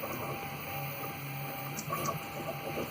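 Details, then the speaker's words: Prusa MK3S printer being updated to stock MK3S+ parts: steady motor whir with faint rattly chatter as the head travels; X-axis linear bearing chatter that shouldn't occur with Misumi bearings, owner suspects worn X rods and plans to replace them. "little bit of bearing chatter, you shouldn't have that with Mitsumi bearings. So these rods could be blown."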